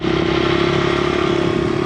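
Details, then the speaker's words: Honda 100 pit bike (possibly CRF100F) with a newly fitted discount Amazon carburetor: small single buzzing at steady high revs with crisp even firing beat, no stumbling; carburetion clean, running way better though slide adjustment still needed. "all right going to go for a little test drive now running way way better"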